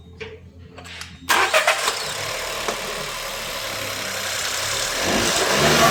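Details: SEAT Arona 1.0 TSI three-cylinder after failing ignition coil and spark plugs replaced: starter catches, steady even idle and clean rev, all 3 cylinders working and EPC warning gone; normal running.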